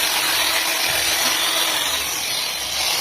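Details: Angle grinder after a broken bearing (shattered cage and shield) was found and the tool reassembled: a smooth, even high-pitched whir with no change in tone or rattle; it sounds healthy.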